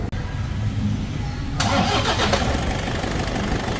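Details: Toyota Vigo 2KD diesel, 300,000 km, after timing belt service, before the test drive: short crank, then it catches promptly and settles into an even clatter; a healthy start.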